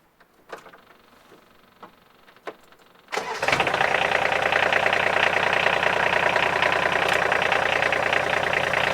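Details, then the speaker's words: Polaris Ranger 1000 diesel at about 100 hours, started after oil and filter change: a few clunks, then cranks, catches and settles into an even, steady clatter at idle, noticeably smoother than before, no misses. Normal idle. "I can hear the difference that's a lot smoother just let run a [Applause] minute"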